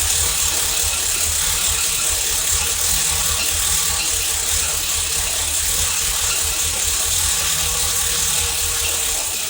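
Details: Third-gen Camaro IROC V8, first run after over a year of work, distributor flipped 180 degrees: fast ratchety clicking clatter with loud hiss over steady running; source unclear, possibly exhaust, no fuel leaks.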